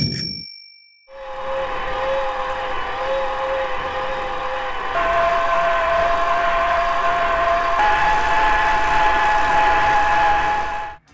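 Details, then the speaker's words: Fourth e-bike mid-drive motor: a clear steady whine over an even hum that rises in pitch as the motor speeds up; about as loud as the two drives before it. "der antrieb ist ähnlich laut wie die letzten beiden auch wenn sie im detail unterschiedlich klingen"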